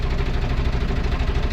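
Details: Large engine cranked with a test light checking the ground: the starter turns the engine over in steady, fast, even pulses with no catch or firing; cranks but won't start, and the test light indicates a ground fault.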